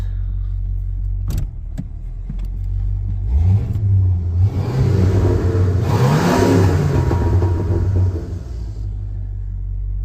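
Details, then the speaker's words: 1985 Mercury Marquis police interceptor, 351 Windsor 5.8 V8 with variable venturi two-barrel carb, won't do a burnout even on gravel: muffled, quiet revs rising slowly and dropping without bark; restricted intake and exhaust, weak revving before the fix. "Definitely not loud enough. So you want to see maximum sadness. This is maximum sadness."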